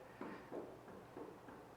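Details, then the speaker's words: 2014 Racer Engineering four-seat sand rail front end: soft dull clunks about every half second as the front end is rocked by hand, from a worn heim joint with significant play. "It's hard to see it, but you can probably hear it. Clunking. So, that one's got pretty significant little amount of play."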